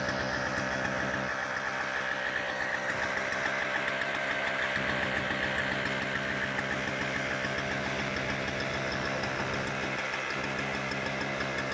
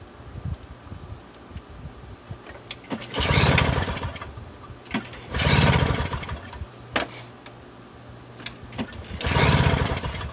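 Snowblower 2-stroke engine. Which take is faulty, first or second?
second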